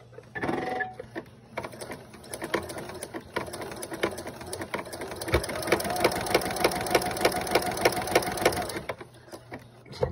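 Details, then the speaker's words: Viking Husqvarna sewing machine (300-year anniversary model), condition unknown, stitching: fast chatter about three beats a second with sharp rattling knocks; owner unsure if rattling and banging are normal; needle banging while stitching. "i'm not sure if that noise it did that rattling noise was common for these"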